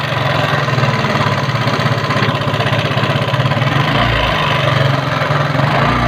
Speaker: Yamaha Mio karburator keluhan motor-motor suaranya kasar